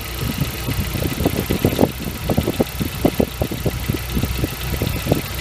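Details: Nissan CA18DET (RS13U) after cold start: loud, uneven knocks several per second over a low idle rumble that disappear once warm; owner suspects hydraulic lifters, cause unconfirmed.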